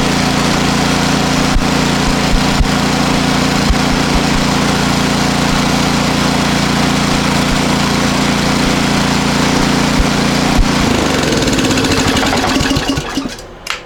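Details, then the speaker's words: Powersmart 24-inch snowblower, previously running poorly, warm after two days indoors near a heater: steady even engine note for about twelve seconds with no hunting or surging, then winds down cleanly; normal running. "That sounds a whole lot better."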